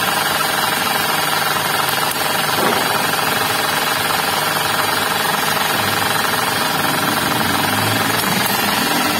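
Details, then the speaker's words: Suzuki Ignis, manual transmission, at idle with the mic in the engine bay: a rough, gritty growl with a rattle. Indicated in the bearings of the alternator, water pump and V-belt tensioner; the fix was replacing the bearing and belt tensioner. "nah ini kita juga bisa cek untuk bagian yang penyebab atau terindikasi bunyi ngorok atau ngetrek nih ya Nah ini indikasinya di bagian bearing"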